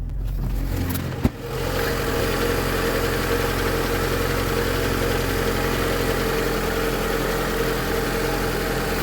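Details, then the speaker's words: VAZ 2112 at cold idle right after new ignition module installed, old high-voltage leads still fitted: catches and settles into smooth, steady idle with no stumble or knock; running properly. "работает отлично Пока двигатель холодный сейчас прогреется И уж тогда послушаем работу двигателя"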